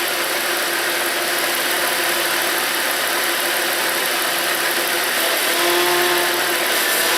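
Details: Volvo 3.2L I6 after power steering pump replacement, fluid no longer foamy; steady idle while wheel turns lock to lock with no pump whine or groan under load, steering pump sounds healthy.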